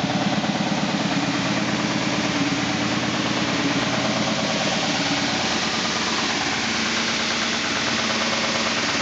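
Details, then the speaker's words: 2000 SCMI Sandya 3, 37-inch wide belt sander: steady motor and belt hiss with a regular thump about three times a second from a high taped seam in the sanding paper, not a fault in the sander itself. "so as it goes around you can hear it but it's actually just the seam in the paper it is not the sander itself"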